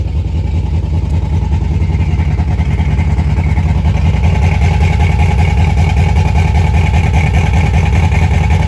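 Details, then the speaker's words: LS-swapped Pontiac G8 at idle on first start with recycled V6 exhaust, needing a tune: fast, raised idle with loud puffing beat at the exhaust; owner suspects exhaust leak probably at the manifold, idle crazy high. "it sounds like i got an exhaust sleep somewhere probably at the manifold so i'm already gonna have to go check that out so yeah the idol the idol is like crazy crazy high"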